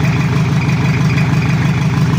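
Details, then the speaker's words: Toyota Kijang diesel after engine overhaul, idling cold before reaching working temperature, oil not yet fully circulated: steady even clatter with firm regular pulse, no knocks or misses; sounds fine for now. "Oke kita in Rin di bawah dan cek sound di bawah dulu Lur untuk sementara suaranya masih aman karena oli belum merata dan juga suhu mesin belum e temperatur"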